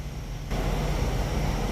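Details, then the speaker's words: 3.5-ton AC condenser after fitting an ICM 870 16A soft start module; comes on with a soft, smooth low hum, and the rattling heard at start-up before the install is gone. Normal quiet start. "quiet all right that little rattling you heard earlier it's not there anymore"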